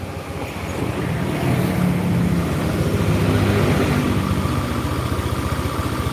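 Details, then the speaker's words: Old Honda Beat scooter running rough and smoking, burning oil: idling with a steady rapid tapping, connecting rod knock, loudest just after starting before oil reaches the rod, easing once warmed. "jika berbunyi Sudah agak lama suara itu nggak terlalu kedengeran karena olinya itu sudah masuk ke stang Ya sudah masuk ke dalam stang tapi kalau baru dibunyikan pasti oli itu belum mengalir di sana"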